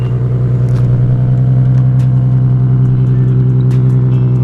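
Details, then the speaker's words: Nissan GTR R35 cold start: deep, steady low rumble at fast cold idle, even and smooth with no knocks or ticks; engine healthy, how it's supposed to sound. "Give her a cold start. Okay. It's cold, eh? This should be cold. That's a little chilly. Take notes, VQ boys. That's how it's supposed to sound."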